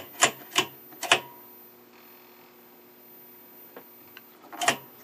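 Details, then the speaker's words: Stromberg Carlson 21TQ television, first full power-up during restoration; sharp irregular snapping cracks over faint hum, from arcing inside the high-voltage box, causing picture interference. "but there's something arcing like that inside the high voltage box that's it's causing this"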